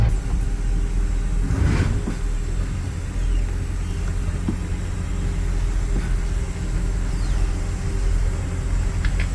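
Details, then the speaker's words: 1977 Ford Thunderbird V8 idling in park after a drive, with its exhaust leak between the cat and the pipe repaired using muffler mud and a gasket: a deep, smooth, even rumble with no ticking or puffing. "so I'm back at my place of residence got idling here in park"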